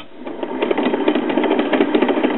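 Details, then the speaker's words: 1940s Decca DP16 wooden tabletop 78 RPM record player, motor run directly on an AC cord: a rapid, regular bump-bump thump rides on the motor hum from a hardened, notched drive (idler) wheel; motor itself is good, mechanism needs cleaning and lubrication. "well it runs so that means the motor is good but uh I can tell that the drive wheel is hard and has a notch in it the bump bump bump bump bump sound you hear"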